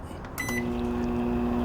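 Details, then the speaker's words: Microwave oven after replacing turntable motor (4–8 rpm) to fix horrible noise: beep, then steady quiet hum with no grinding or scraping; normal running. "ahí está calladito miren bien calladito este motor no está haciendo nada de ruido"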